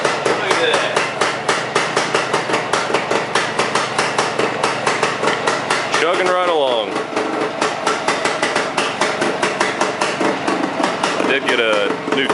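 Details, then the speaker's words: Steady pop-pop at four to five beats a second, no misses or rattles, from a restored 1975 Suzuki 185 two-stroke, choke off, carb idle not adjusted after reassembly; normal smooth idle. "I didn't even adjust the idle on the carb or anything just put it right back the way it was when I tore it apart chugging right along sounds good"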